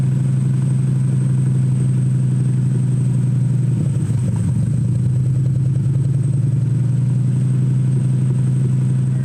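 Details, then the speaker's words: Home-built Shelby Cobra replica with a Mustang engine swap, during street tuning: steady fast idle with a faint high whistle, throttle blade fully closed. Idle set too high; owner unsure if the IAC causes it. "Now we just got to turn the idle down a little bit. Actually, it's not even on the throttle stop. The throttle blade's 100% closed."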